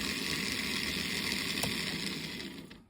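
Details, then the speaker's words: Simple homemade DC electric motor kit on a classroom power pack at 2 volts; steady high whir, even in pitch until winding down; running cleanly, brush-tab pressure changes speed slightly. "Okay, so sometimes you can play with the pressure on these switches or on these little tabs, and it will change the speed of your motor a little bit."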